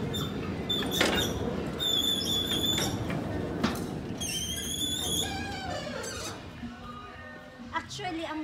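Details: Heavy sliding gate, almost 200 kg, custom-built and voice/remote operated, squeals in high metallic bursts as it moves, with music in the background; squeaking because lubricant had not yet been applied.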